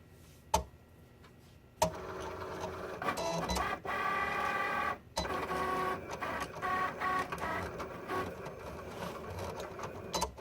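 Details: New Cricut Explore Air loading a cutting mat: uneven whirring and clattering bursts from the feed rollers, stopping and starting with sharp clicks; abnormal mechanical noise, feed straining.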